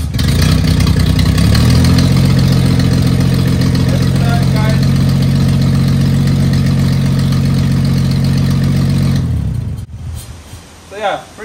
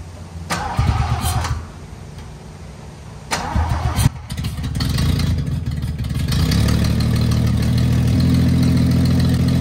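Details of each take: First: 1974 Toyota FJ40 barn find, not run in about five years, started using quick start as needed on first start: catches, brief pick-up, steady even low rumble, then clean shut-off; normal start and idle. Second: 1974 Toyota FJ40 barn find, not run in about five years: a couple of cranking tries, then a loud raspy idle with a puffing tick; owner notes a big exhaust leak under the hood.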